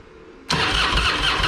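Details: Harley-Davidson Fat Boy that sat for a couple of years, after replaced fuel valve diaphragm: after a quiet moment it catches at once and settles into an even, lumpy idle; normal start and idle.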